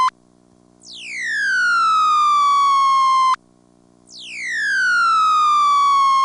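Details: ITT Pentaconta crossbar office, Asheboro NC, March 1977, phone left off the hook: a loud tone sweeps down from very high to a steady pitch, repeating about every three seconds, the off-hook howler warning.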